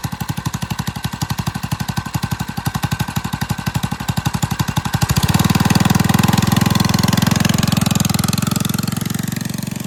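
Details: Single-cylinder on a drift quad, freshly fitted with a Nibbi carb, after an initial flood: steady popping idle, then revs into a fuller, louder drone that holds; running cleanly on the new carb.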